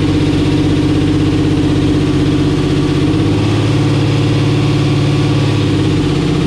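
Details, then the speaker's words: Camaro with a 10.3L (632 ci) supercharged big block on Holley EFI, first drive day: it sits at a fast, busy idle around 1700 rpm that won't come down even with the throttle nearly closed; the idle is set too lean, and a vacuum leak is suspected. "with it as close as we could possibly get it it was still making 1700 rpm wow these should be sealed you know i won't say clothes so that's either we got a vacuum leak or something"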